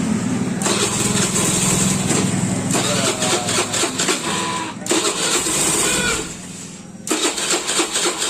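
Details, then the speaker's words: Fuel-injected motorcycle after fuel pump service, stalling without throttle: single fires and buzzes unevenly, sagging and dropping out, won't hold idle; throttle body found black with heavy deposits, one cause of the instability. "Dan begini setelah saya semprot keadaannya hitam, keratannya ataupun kotorannya sudah banyak. Jadi ini salah satu juga penyebab motor ini tidak stabil."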